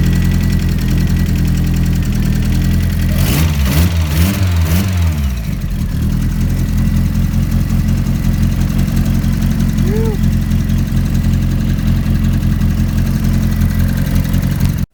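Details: Mazda MX-5 on a Haltech Platinum ECU with a newly installed 36-2 tooth crank timing sprocket: steady idle, a few quick throttle blips, then back to an even idle. Running properly after the ECU reboot.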